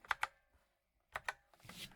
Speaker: there seems to be a fair bit of pinging going on but you can hear that very fancy listen general reverberations throughout the board after you depress a key a metallic reverberation